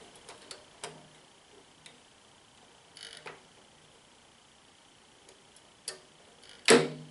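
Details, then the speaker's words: Kodak Showtime 8 film projector, drive switched between reverse and forward: faint light ticking, then one sharp heavy clunk as the drive couples; engagement thump, owner thinks more frequent use may reduce it. "Ese golpe que se escuchó ahorita al fondo es que ya se acopló. Posiblemente ya con el uso más frecuente se le ayude más a disminuir ese comportamiento."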